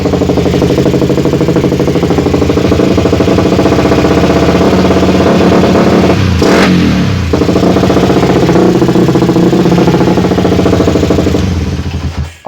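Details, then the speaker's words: Suzuki Satria FU with a Shogun CDI fitted, after long disuse: when revved, the engine note stutters, breaks up and cuts in and out. A misfire is suspected, and the owner suspects the long disuse. "cuma saya rada heran itu pakai si Day standarnya ini itu kenapa Agak putus-putus ya suaranya nggak normal karena ini udah lama nggak dipakai ya"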